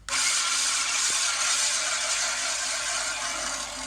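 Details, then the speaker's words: Great States manual push reel mower being backlapped with lapping compound: a smooth, steady metallic hiss like one long piece of metal rubbing another, with no chopping or catching; the reel is evenly lapped against the bedknife with normal contact. "sounds nice and even like one long piece of metal rubbing against another you doesn't make a chopping sound so that means that this is back lopped up nicely"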